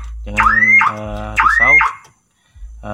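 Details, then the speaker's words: Daihatsu Ayla with a faulty remote, door unlocked manually with the key: factory alarm set off, the siren sweeps up to a shrill pitch about once a second, pauses briefly, then resumes. "akan bekerja secara manual Nah kita lihat Apa yang akan terjadi jika hasilnya teman-teman alarm akan berbunyi terus tidak henti-hentinya"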